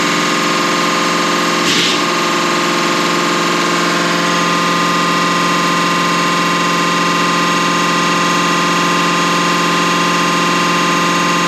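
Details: Deutz V8 diesel injection pump from a MAN KAT truck that had lost power (50 km/h max), cleaned and run on a diesel specialist's test bench; smooth steady mechanical drone with even pulse, no knocking or grinding; normal injection pump operation.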